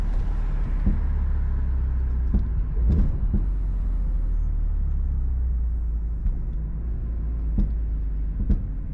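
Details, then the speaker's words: BMW E46 M3 with SMG automated manual, driving on road: over steady road rumble, sharp single clunks every second or two as the SMG clutch slams on and off harshly, especially approaching lights. "hopefully you can hear those clunks that's definitely the downside to the SMG is the clutch engaging and dis engaging has zero chill it will just slam the clutch on and off"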